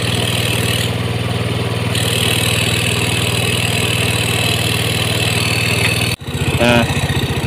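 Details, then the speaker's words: Yamaha GT 125 after ISC cleaning and reset (ISC 48% to 25.5): steady fast even buzz near 2300 rpm, never settling to slow idle; mechanic suspects the opening was changed previously. "Nah ini kawan, nah putaran mesin di 2300"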